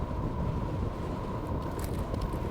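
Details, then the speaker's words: Segway GT2 electric scooter riding over road bumps after fitting the new front shock supplied by Segway: even motor hum and road rumble, no clunk or clocking from the front; replaced front suspension sounds healthy. "you hear that you don't hear the clocking at all unless my helmet is too tight"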